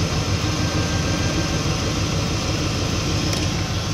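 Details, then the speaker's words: V8 with a Holley 750 carburetor, idle mixture screw turned back in from overly rich to about half a turn out: the idle clears up into a steady, fairly even low rumble with only slight unevenness. The mixture sounds about right. "as soon as i turn that in you're going to be able to clearly hear this thing clears right up"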